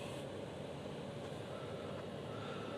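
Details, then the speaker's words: 2003 Saturn Ion coupe after replacing the ignition switch to cure cold-weather no-start: quiet steady idle hum with no misses or hesitation; engine fired right up without the passlock reset, running normally. "In my case, I did not need to deal with pass lock. The car fired right up."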